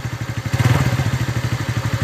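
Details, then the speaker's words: TVS Ntorq scooter after magneto rotor was removed, refitted and tightened: even putt-putt at about ten beats a second with no clatter or scraping; idles cleanly, noise problem solved. "अभी अच्छे तरह से सावन ए रहा है"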